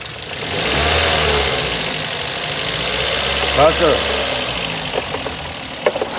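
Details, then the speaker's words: Toyota GLi at idle before a tappet setting: light, fast ticking over a steady idle with a hissy background, sound described as very bad; valve clearances out of adjustment, to be fixed by adjusting the tappets; tappet noise. "यह इसका sound जो है आप सन सकते हैं बिल्कुल खराब है और हम अभी इसके टॉपर बनाएंगे"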